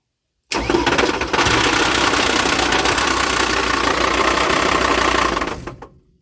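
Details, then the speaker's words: UAZ 3303 with Mercedes OM602 2.9 diesel swap, brief start: heavy irregular clunking knock under diesel clatter that began suddenly while driving; starts and runs easily, so owner suspects the flywheel came loose rather than internal damage. "Я думал это внутри мотора Но если было бы это внутри мотора поршневая все дела он бы так легко не заводился и не работал короче что-то открутилось внутри Я подозреваю что это бляха муха маховик"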